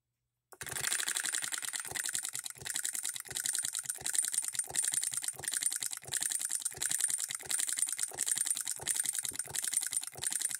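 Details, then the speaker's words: Hand-built Coilmotorworks solenoid hit-and-miss electric model engine at 24 volts, unloaded: crisp metallic ticking with a heavier beat every half second or so, firing only now and then; healthy normal hit-and-miss run; holding it in lets it coast. "hitting and missing If We Hold this in it'll just Coast open it up"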